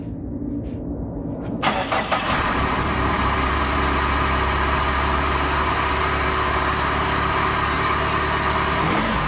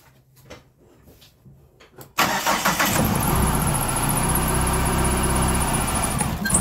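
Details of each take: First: PT Cruiser that came in cranking but not starting, at its first start after the repair with the fuel system primed and the airbox off: catches almost at once and settles into a steady, even idle with a faint high squeal on top. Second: Chrysler PT Cruiser crank-no-start, towed in, starting fluid sprayed into open intake: a few quiet seconds of cranking, then it catches and runs; spark and crank sensor fine, fault is fuel delivery, fuel pump leaking.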